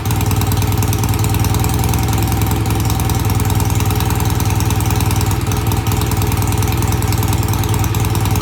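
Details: BSA A65 twin after cleaning the pilot jets of its new Premier carbs. Cold-started after tickling, it gives a steady, even low idle thump with both cylinders firing regularly and no misses or knocks. Normal idle.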